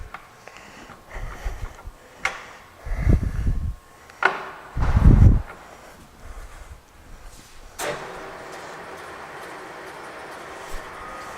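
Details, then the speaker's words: LeBlond Regal 15" x 42" lathe with the mic next to the headstock, after a change to a higher speed: a few clunks, then a smooth, even whir with no chatter; normal running. "I have the mic on right here so you can see them right next to the Head no chatter everything sounds good in there"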